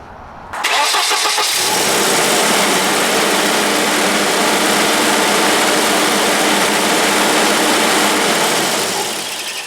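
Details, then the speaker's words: 1991 Volvo 245 idles too high after a cracked fuel pressure regulator hose was trimmed, fast and steady as if the throttle were held; the throttle position sensor gives no click when the throttle wheel turns, so the TPS is faulty. "still too high it's almost like I'm on the gas but I'm not"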